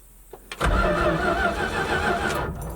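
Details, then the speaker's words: 1972 Dodge truck with a 318 two-barrel engine, sitting 13 years, on a hot battery with jumper wires: the starter bites and spins the V8 steadily for about two seconds with even strokes and no grinding or clicking; the starter is healthy. "promising sounds like a good starter"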